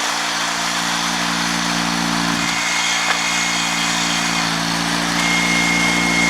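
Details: Honda 3813 liquid-cooled lawn tractor during a transaxle clutch demonstration with the damper removed: a steady, even drone at constant speed with a faint high whistle on top, no knocks or surging. Healthy.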